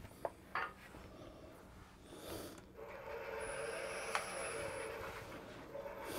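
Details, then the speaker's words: Woodturning a twig pot on the lathe with the tailstock backed out after sanding to 320: a steady buzzing drone with light tool scraping as the unsupported workpiece vibrates, so only light cuts are taken. "Again, without the tailstock, you hear the vibration, so we're not taking near as aggressive a cut."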